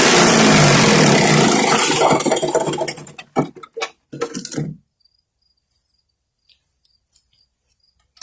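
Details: 5 hp MTD wood chipper shredder after flail arm maintenance to fix a banging rotor: the small engine runs smooth and even with no banging from the flail rotor, then winds down quietly; sounds healthy.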